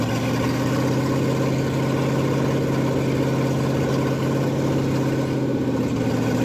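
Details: Ford F100 302 V8 with Comp 268H cam at fast break-in idle through open pipes, about 80-degree day, holding temp: deep, even lope, no misses or ticks; normal fast idle, though oil looks slightly milky.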